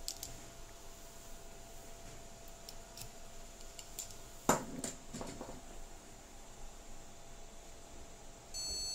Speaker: ini terdengar suara beep yang menandakan bahwa si mesin ini tidak bisa mengenali atau bisa mendeteksi tidak bisa mendeteksi adanya memori RAM